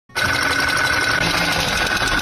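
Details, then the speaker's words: Running car engine with a fast, sharp metallic clatter, the sound of a broken piston pin knock. "Piston pin patah bunyi macam"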